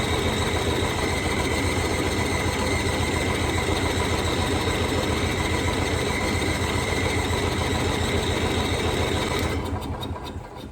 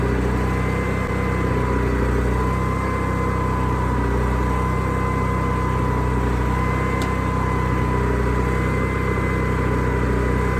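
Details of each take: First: Onan generator engine with newly added inline fuel filter chugs steadily at about three and a half beats a second, then fades out and dies; owner suspects no fuel passing the filter or flooding, cause unconfirmed. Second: Onan generator after adding an inline fuel filter, started with the side cover on, which makes it quieter. A smooth, even drone at constant speed with a steady hum and no misses or surging: it runs healthy.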